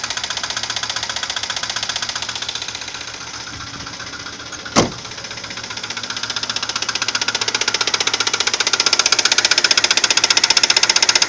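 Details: Audi 80 2.3 engine: sudden, fairly loud sharp ticking knock at about four per second over the idle; something knocking inside the engine, cause unclear.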